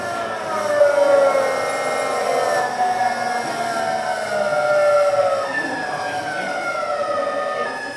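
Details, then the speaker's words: Variable-voltage variable-frequency PWM induction motor drive slowing to low speed: clear tonal whine stepping down in pitch as the carrier frequency ratio changes like gear shifts; quite noisy in low gear, normal inverter sound. "We're going into low speed. We're in a low gear. Quite noisy."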